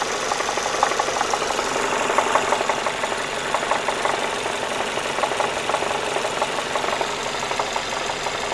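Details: Renault Megane 2, hot engine: loose, somewhat irregular knocking about three a second, appearing when lifting off the throttle and at steady revs while driving; internal engine knock of unknown cause.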